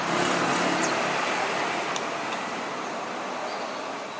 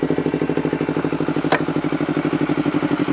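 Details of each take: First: Honda CBR250RR twin that would not idle: cranks, catches, then idles unevenly with lumpy beat, rpm swinging between about 1000 and 3000–4000; O2 sensor and throttle errors found. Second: Honda CBR250RR after a fix for not idling, sputtering and exhaust backfire (O2 sensor and throttle error, O2 manipulator fitted), warmed up after a long run: even, steady idle with a regular pulse about three per second, no misses or popping.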